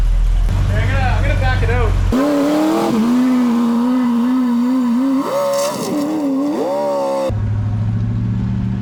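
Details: Rebuilt 400ci small-block Chevy V8 (new bearings, rings, machined crank) in a 5-speed S10, first run after rebuild with 65 psi oil pressure: deep V8 burble climbing and dropping cleanly through revs, no ticks or knocks; no weird noises.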